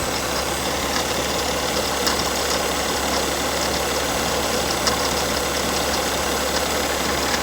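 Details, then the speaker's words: BMW E60 at 192k miles with original alternator and power steering pump, idling: constant gritty metallic grinding from the right side of the engine bay; owner suspects the alternator bearing or the power steering pump. "all right guys so i've got this kind of strange metallic grinding noise here coming from either power steering pump or what's the name alternator here"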